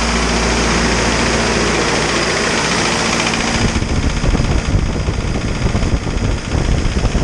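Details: Isuzu 4BD2T turbo diesel at initial startup, warming up until the thermostat opens: steady, even idle clatter, no misses or knocks; awesome oil pressure, only minor issues, healthy engine.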